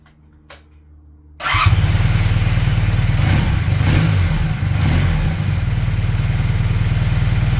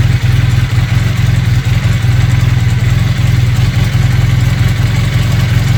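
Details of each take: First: Honda CB400T Dream twin after leaning the mixture, tickover set to about 1200 rpm, on a temporary fuel tank; even, steady tickover with no lumpiness, normal idle. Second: Honda CB400T Dream twin, just serviced with oil and filter change, idling with two center vacuum gauges fitted: low, lumpy idle with an uneven, loping beat and no steady rhythm; carburettors badly out of sync.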